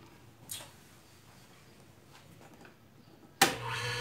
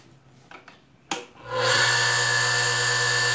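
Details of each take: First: Industrial sewing machine motor after replacing the noisy 6203 bearings: it spins up at once to a smooth, steady hum with no rumble or grind. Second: Industrial sewing machine motor, before repair: spins up after clicks, steady thin high squeal over hum that persists while coasting down; worn 6203 bearings, lower one worst.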